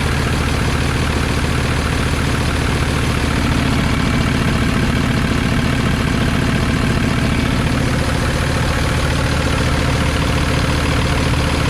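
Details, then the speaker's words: 2007 Freightliner M2-106 tree service truck, 6.4 liter 210 hp diesel: steady idle with a constant airy hiss over the rumble; an air leak, warning light on. "You can hear it's got some sort of an air leak, and I can show you exactly where it is."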